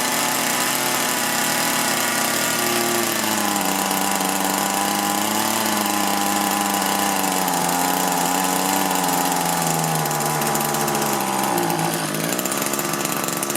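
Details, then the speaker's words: Echo two-stroke hedge trimmer with a replacement engine, during adjustment of the carburetor screws: revs rise and sag unevenly and never climb cleanly to full speed. Poor throttle response; the mixture could not be adjusted right. "Well, I couldn't get that adjusted right, as you could hear."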